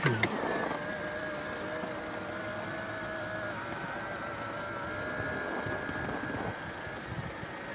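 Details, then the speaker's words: BMW E66 730Li auto-folding side mirror after its gears were greased to cure a metallic squeal, engine idling: a smooth, even motor whir for several seconds with no grinding or squeal, folding faster; normal operation. "이제 점점 빨라진다. 이 소리도 안 나는 것 같은데?"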